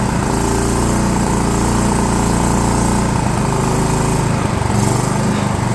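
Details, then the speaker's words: DR all-terrain mower with Kawasaki FV420V single-cylinder engine, revived after sitting for years; carburetor jets sprayed with brake parts cleaner without removal. Steady, even buzz with no surging or stumbling. Runs clean and smooth, better than before. "that is better well I think that's good [Applause] all right well that's just a Kawasaki engine for you they don't care they just run"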